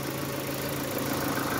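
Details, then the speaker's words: Opel Astra G coupé Bertone after throttle body cleaning, before a short test drive; even, steady idle with a smooth hum and no clear ticking. The earlier clatter has gone. Normal idle. "Bon, elle fait plus le bruit de cliquetis."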